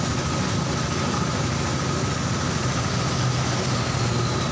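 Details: Old carbureted Honda Supra Fit, brought in for dying suddenly while riding and hard starting, idling after service and carburetor cleaning: a loud, steady low rumble holding an even beat without dropouts; normal idle.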